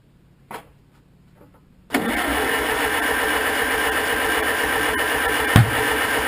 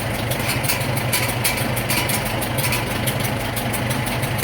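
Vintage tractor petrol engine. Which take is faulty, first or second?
first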